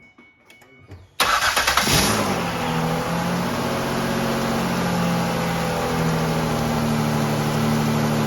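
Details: Ford Escape 3.0 V6 first start after alternator replacement, battery freshly charged: a quick crank, a clean catch and a brief flare, then a smooth, steady idle with no misses or knocks.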